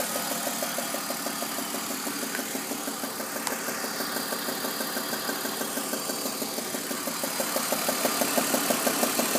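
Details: BMW E46 at idle: sharp, even high-pitched ticking/knock about three times a second; plugs, tensioners, pulleys checked, VANOS replaced; owner suspects exhaust manifold leak, with throatier exhaust and slight power loss.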